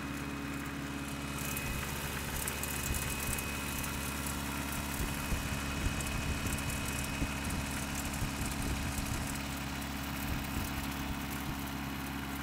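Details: Just-bought Toyota 4Runner 22RE, cold start, filled with 5W-30 oil: cold idle with a loose, uneven rattling tap over a low rumble. Owner suspects timing chain and/or rod knock, unconfirmed.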